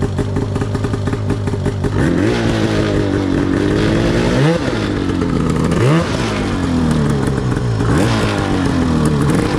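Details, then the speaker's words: Yamaha YFZ450 custom chassis with swapped Arctic Cat F1000cc two-stroke EFI engine, first test ride after four-year build; rough two-stroke drone with blips, lazy pickup. Sluggish, groggy throttle response; owner plans to fine-tune fuel pressure, cause unconfirmed. "she's got a lot of potential but she still needs a lot of work I'll tell you that all right she rips she's a little Loft she's a little groggy I thought she'd be more responsive but we'll fine-tune that with the uh with the fuel pressure and stuff"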